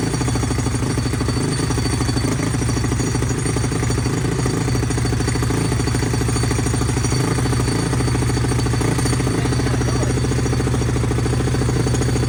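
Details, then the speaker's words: SSR YX140 pit bike, first start after the build, started first kick. Fast single-cylinder chatter with loose metal clatter from a rattling bracket and parts, fixed by tightening and a zip tie. "As you can see, guys, she started right up first kick, but she's rattling apart."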